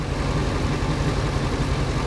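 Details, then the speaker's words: 2001 Ford F250 5.4 V8 plow truck after cylinder 5 spark plug and coil replacement for misfire, intake not yet refitted: brief popping at start, then deep even V8 idle, quiet with no popping or stumble; normal idle. "Well, I mean, she's quiet now."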